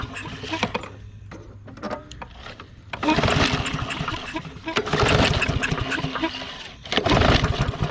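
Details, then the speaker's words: Discarded Troy-Bilt or Yard Machines push mower with water found in the tank, drained and refilled with fresh gas; repeated pull starts give short sputters that die out; owner suspects water in the gas, took about 100 pulls. "I bet you it won't start because of the because of the water in the gas all right go ahead it's going to take us several times to get it to"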